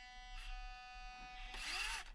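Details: Orlandoo 1/32 Tacoma/Tundra crawler with stock Orlandoo ESC, crawling a slight incline as slowly as possible: steady high whine with buzzy overtones and brief rushes; stock controller is noisy and cannot hold slow speed.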